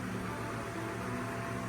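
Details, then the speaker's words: Fan running at full power in oscillation mode, blade still dirty: a steady low hum with a constant, loud, pronounced whine riding on it and no change in speed, meaning the fan motor is whining. "But it has a very loud pronounced wine to"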